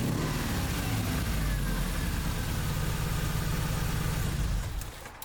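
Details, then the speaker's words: 2001 Subaru Impreza 2.5RS (GC8) with codes P0301/P0302, cylinder 1 and 2 misfires, flashing check engine light and no spark on cylinder 1. Rough, lumpy idle persists after swapping plug wires; ignition coil swap next. "so that didn't do anything so we know that our plug wires were fine so we're gonna try swapping out this ignition coil and then see if that does anything"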